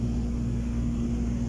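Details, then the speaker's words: Submersible water pump running normally with a steady even hum after adjusting the pressure switch springs so the contacts close; water meter turning. "Ayan na guys nag-contact na guys. Sabihin umandar na yung submersible pump."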